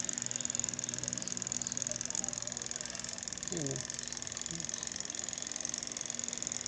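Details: Spin dryer that won't spin, with a good new motor and the capacitor checked: the timer ticks fast with no motor hum behind it, so its contacts never switch. Replacing the timer fixed it.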